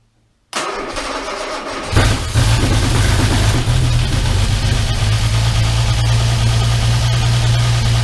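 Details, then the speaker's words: Armstrong Siddeley Star Sapphire special, first start in probably over 40 years, cold on choke: cranks, catches, then settles into a steady but slightly uneven low idle. Carbs out of kilter and need tuning. "Need to uh Smells all right. Tune it up a bit. Yeah, the carbs are out of kilter, aren't they?"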